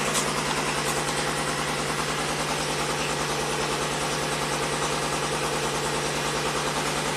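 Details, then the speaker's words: 1990 Buick Regal GS V6 with severe low power: uneven, lumpy idle with dropped beats and engine shaking; misfire from dead fuel injectors, running on four cylinders, first suspected as fouled plugs on the rear bank. "better now I'm sure we have a misfire on one of the rear cylinders because the plugs fed out"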